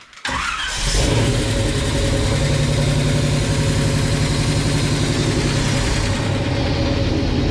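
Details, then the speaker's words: Rat rod tow truck engine just fitted with stainless steel rockers replacing aluminium ones: starter cranks, catches and settles to steady idle with light ticking on top; rockers misadjusted after lifters pumped up, to be reset through firing order. "all right I feel like it's the back thank you it's super hard to get these adjusted right once you've had the lifter pressured up so we'll pull it back off and roll through the firing order again and tighten them again"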